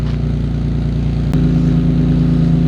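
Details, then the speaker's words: Cheap imported Nissan 350Z started with no air filter and left to warm up: a deep, even low burble at idle with one quick throttle blip that lifts and settles cleanly, beefier than the other 350Z's high-pitched note; healthy engine. "It's quite beefy, isn't it? Yeah. It's a lot beefier than mine. Mine's really high pitched. But I'll just let this quickly warm up."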